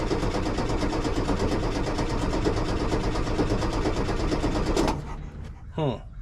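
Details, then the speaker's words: 1973 VW Super Beetle that died while driving, battery fine, gas in tank: steady starter cranking about three turns a second with no firing; aftermarket Brazilian-made fuel pump not pumping; crank no start. "H well the issue is not the battery clearly but uh something's not quite F pump is not pumping that's a whole other issue"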